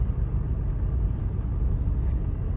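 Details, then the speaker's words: 2004 Jeep Grand Cherokee WJ after muffler and tailpipe replacement, revved: deep, even low rumble with no rasp or ticking, smooth and properly muffled; an exhaust leak still remains somewhere, but much quieter than before. "There's definitely still an exhaust leak somewhere, but sounds a lot a lot better. [Music] So, and uh I fixed the radiator hose on it earlier. So, I'm going to go take it for a test drive. I'm going to rev it and see if you guys can hear it. And it sounds pretty nice."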